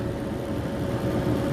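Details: 15-inch Silverado electric radiator fan on PWM control in a new BurnDown/Warr Performance shroud, run at 30% duty cycle: steady, even rush of air with a low hum, no rattle or rub; normal low-speed running, about 750–800 CFM with broader airflow across the radiator.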